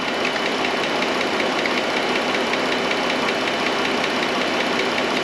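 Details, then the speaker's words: 2013 Chrysler Town and Country, Pentastar 3.6, ticking for about five months, checked with a stethoscope on the left bank valve cover: fast light ticking, two to three per second, loudest toward the front; lifter tick suspected. "i'm going to go back towards the back of it definitely louder up towards the front so what i think we're looking at is a lifter"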